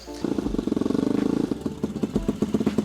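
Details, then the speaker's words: 220cc turbocharged mini Jeep: engine pops and stumbles in uneven bursts; owner says the engine-fed oil system gives too much oil, which gets into the exhaust and makes it run rough. "So the oil gets in the exhaust and it just makes it run like shit. All right, guys, well, the oil system that's running off the engine is just giving it too much oil."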